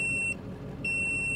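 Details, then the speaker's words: 2000 Ford 7.3 Powerstroke diesel, 212,000 miles, alternator trouble: audible voltmeter gives two shrill half-second beeps, about one per second, warning low voltage at key-on with glow plugs heating. "now it's showing low voltage because our glow plugs are working and there's our light so so the voltmeter"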